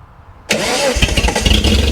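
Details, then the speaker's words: Restored Datsun Z at initial startup, following a timing change: a quick crank catches and fires straight into a smooth, even settling idle; a clean, healthy start, though the interior gauge shows no oil pressure. "So it really runs smooth. Sounds great."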